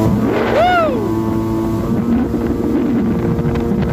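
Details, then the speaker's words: Yamaha WaveRunner two-stroke jet ski, a little cold on first start-up, after replacing a faulty fuel cap that caused surging: a quick rev blip, then a steady, even drone with no hunting or surging; normal running. "wow she ain't as fast as an 1100 but this baby's running good like every two strokes a little cold on the first startup"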